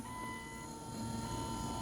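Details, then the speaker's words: Jeep XJ after the wiper motor, which had play in its main shaft, was replaced. Quiet, even motor hum with a faint whine and no rattle or knock. The new wiper motor runs normally. "They seem to be on. Don't hear any rattling."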